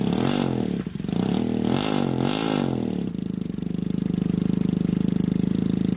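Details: 1980 Honda CM400e twin, first start after 2.5 years and a top-end rebuild (rocker arms, camshaft, valves, seals) plus rebuilt carbs: uneven idle with an intermittent stumble, missing; oil leak too; owner suspects incorrectly torqued head bolts.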